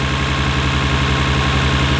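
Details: 1993 Nissan Skyline R32 GT-R idling in neutral, with HKS Super Power Flow intakes and turbos reportedly N1. Low, even idle pulse with a steady beat, no stumbles or knocks and almost no vibration. A little smoke is seen. Normal, healthy idle.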